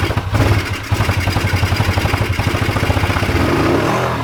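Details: Old Suzuki GS500 twin, started only by covering the carb intake by hand: it thumps along unevenly with surging revs that won't settle into a steady beat. Poor idle.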